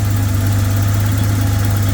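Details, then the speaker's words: Datsun 280ZX Turbo (L28ET) just started with the auxiliary air control (AAC) valve blocked off with a rubber cap and its hose capped; low, even hum with a constant beat, no hunting or misfire; idling steadily, normal idle. "I just started the car and it seems to be ising just fine so um I may not have to me mess with that"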